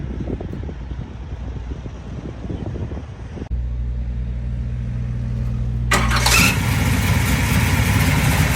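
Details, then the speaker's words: 1972 Chevrolet Chevelle, aluminum-headed 462 cubic-inch big block built last year, about 602 hp, rebuilt Turbo 350 with stall converter and shift kit, 3.73 rear: catches and settles into a deep, even idle, then revs cleanly without misses; normal idle and revving. "oh runs nice yeah 602 horse mongers every bit of it"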